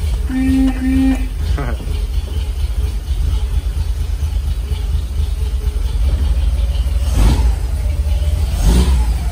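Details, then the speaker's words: 1946 Dodge pickup barn find, running after the points were gapped and the condenser replaced, with no coolant in it. A deep, smooth, steady rumble, but the idle sits too high and needs turning down. "now I don't want to run it for too long because I don't have any coolant in it but it sounds like it runs really well and I gotta figure out how to get the idol turned down"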